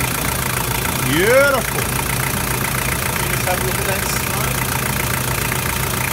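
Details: Toyota 1KZ-TE diesel (Prado/Hilux), cold, after injector and glow plug replacement: the engine settles into a steady, even idle with a regular clatter and no misses or knocks. Runs healthy, with slight smoke that is typical when cold.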